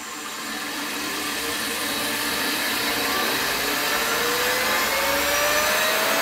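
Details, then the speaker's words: PowerPro upgrade belt drive after correcting belt alignment and tension via the eccentric: smooth whirring climbing to about 9500 speed with no knocking or slapping. "that sounds real clean real smooth I think I've got the adjustment right"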